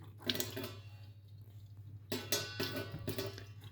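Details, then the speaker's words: Turkish combi boiler, hot tap opened and closed while heating runs: clicking as the diverter valve changes over normally, halting radiator circulation and sending hot water to the tap; done to raise pressure above 1 bar, after which the boiler runs. "Yani çıt çıt ses geliyor fakat Umarım duyulmuştur Hani bunu açtığınızda çünkü kalorifer dolaşımı durur sıcak su buraya yönlendirilir"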